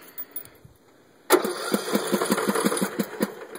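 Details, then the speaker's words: Craftsman LT1500 lawn tractor, about 10 hours use, stalls when blades drop and smells of gas; owner suspected flooding, later traced to a bad wiring harness: starter cranks in a loose, uneven rhythm over two seconds without catching. "will not start still smell a little bit of gas right now"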